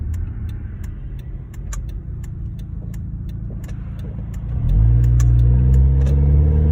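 Sharp, even ticking about four per second over a low idle, carrying on as the engine revs up; sounds like an exhaust leak. Cause suspected, not confirmed.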